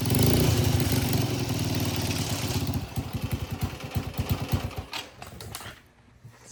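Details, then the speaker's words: Freshly started small engine on a full-suspension ride-on lawnmower build, on a booster pack with choke, chugs unevenly at about three pulses a second with stumbles and surging; owner says it needs a carb clean and the chain is slack and rattling; rough running. "it obviously needs a carb clean um the Chain's a little rly I need to tighten up the slack thing's rattling around but it fires up that's uh that's a good sign and it sounds pretty good it's it's almost done"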